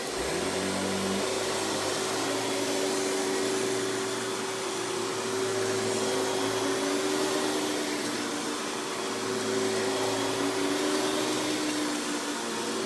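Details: 1990s Hoover PowerMax Supreme 850 S3609 canister vacuum on high speed with the power brush on: steady, even motor whine with a constant tone, no rattle or surging; runs smoothly and healthy.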